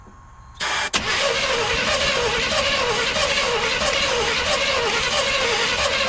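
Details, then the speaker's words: 1989 GMC Sierra 1500 single cab stepside, sitting about 10 months, fuel pump primed and starter fluid used; fast, even cranking nearly fires but won't catch. Owner suspects the fuel injectors; cause unclear. "stop yeah she almost turned over I'm thinking it's either the fu injectors"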